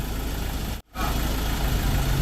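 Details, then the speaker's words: Ford Ranger MC diesel idling after replacing the alternator bearing, belt tensioner pulley and front drive belt; the belt noise is gone, with a steady low rumble and no squeal, chirp or belt flutter: normal idle. "อ่าเสียงดังที่มันดังตั้งแต่ตอนต้นคลิปเนี่ยมันหายไปแล้วมันเงียบสนิทเลยนะครับนิ่งๆเลยนะฮะนิ่งเลยนะฮะทุกรอบก็ไม่สั่นแล้วไม่เต้นแล้วไม่ตัดเป็นเจ้าภาพแล้วสายพานก็ไม่สะบัดแล้วนะฮะ"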